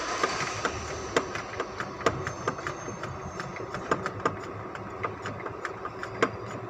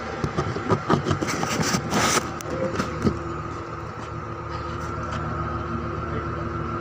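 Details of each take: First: 2005 Ford Expedition V8 idling: uneven sharp ticks and pops, misfire; fixed by replacing four ignition coils and cleaning spark plugs. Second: 2005 Ford Expedition V8 after replacing 4 ignition coils and cleaning the spark plugs to cure a misfire: after a few seconds of handling clatter, it settles into a smooth, even idle with no stumble or miss.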